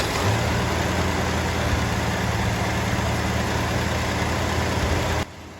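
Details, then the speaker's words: 1972 XA Ford Falcon, off the road 16 years, first proper run after fixing a bad battery connection, old oil still in: smooth, even, slightly fast idle with no popping or missing. Normal idle. "That's excellent. I'm very happy with that. And it sounds really good. It sounds really healthy."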